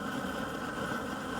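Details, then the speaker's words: Garden weed torch after regulator replacement, lit and turned up: steady, even roaring hiss with no sputter or pulsing; burning strongly and cleanly. "you can see that flame turn that up a little more make it really sizzle as you can hear that"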